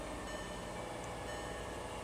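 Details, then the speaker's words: VW Golf Mk5 just after fuel pump replacement, first start after sitting for days: steady, even cold fast idle above 1000 rpm gradually settling toward 800 rpm as it warms, no misses; normal cold fast idle, fix successful. "RPMs, it will gradually come down while it heats up."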